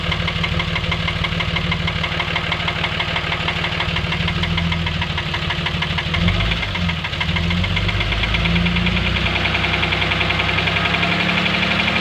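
At idle there's a heavy, loud knock about three times a second over the engine's run, a clear bottom-end-sounding knock.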